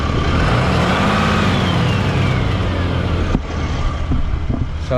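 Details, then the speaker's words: Diesel pickup, owner heading to a Ram dealership: a faint tinny tin-can rattle appears whenever it is revved to about 2,000 rpm. The dealer's listening check found the turbo fine. The source is unconfirmed. "So, anytime I rev up my RPMs to 2,00, it has that little tin can rattle, but I'll let you guys hear it."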